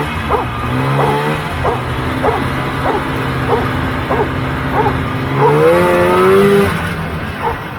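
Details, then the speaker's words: 1980 Polaris TX340 snowmobile after blown head gaskets were replaced, cold start and test ride: steady two-stroke drone rising smoothly on throttle; starts easily and runs well. "i'm really happy with how the sled came out uh it's just an easy start and good running sled at this point"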